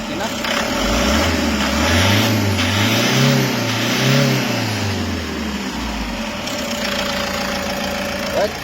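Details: Toyota HiAce 2KD diesel after an engine overhaul for knocking, with the scored number 3 cylinder bored 0.50 oversize: blipped a few times, then it drops back to a steady, even idle with no knock; the knocking problem is solved.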